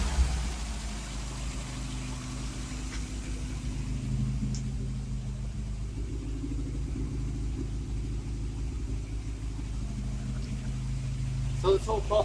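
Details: Car after timing chain replacement, cold with half choke: lumpy uneven running with irregular pops, backfiring; owner suspects ignition problem despite new coil, leads, plugs and electronic ignition module; cause not found.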